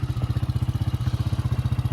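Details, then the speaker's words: Yamaha Grizzly 600 ATV revived after sitting upside down 25 ft underwater overnight, oil changed, new electrical: even, steady single-cylinder thump about thirteen pulses a second, no misses or knocks; idles cleanly and sounds healthy. "went from 25 ft underwater to running again so it's good"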